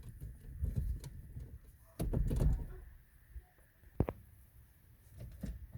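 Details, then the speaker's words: 2003 Ford Fiesta, steering wheel rocked by hand: dull, uneven clunks and rattles from abnormal steering column play. A loose spring was found in the column. "aquí se escucha también ruido y aquí trae un resorte suelto ve"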